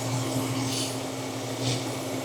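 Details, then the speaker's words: Jeep XJ with cylinder 4 misfire (P0304), idle with cooling fan roaring; starting fluid sprayed at the intake makes the idle change and nearly die. Torn intake manifold gasket causing a vacuum leak. "Do you hear that idle change? I mean, I can make it almost die. So, what does that tell me? So it tells me that most likely I have either this intake is loose or the gasket is bad."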